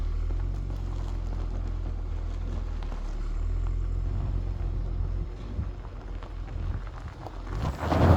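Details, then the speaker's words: Holden VY Commodore engine started after sitting a few weeks. It idles with a low, steady, even rumble and no knocks or misses, followed by handling noise, and sounds good. "She sounds good. So there we go, guys."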